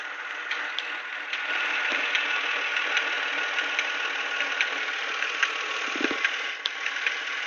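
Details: Nissan VQ25DE V6 idling with a sharp tick about once a second over the engine hum; owner thinks it comes from the idle air control valve (IACV), not confirmed.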